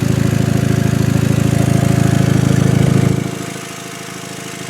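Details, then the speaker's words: 2000 VW Passat GLS, 110,268 miles, idling, heard from underneath the car: a steady puffing tick about three times a second from a small exhaust leak of unknown location. "And now you can hear the exhaust leak a little bit better right here. I don't know where it's leaking from, like I said."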